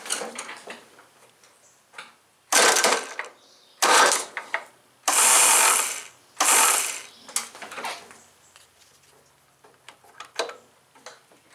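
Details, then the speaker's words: John Deere STX38, Kohler Command 13 hp engine: short one-second bursts of free high-pitched whirring with no cranking thump; starter drive not engaging flywheel; owner says the spring popped loose again, suspects a clip came loose. "now it's back to doing what it was earlier because the spring po loose"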